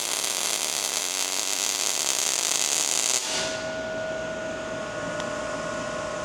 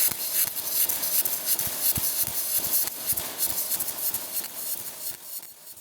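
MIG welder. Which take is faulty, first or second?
second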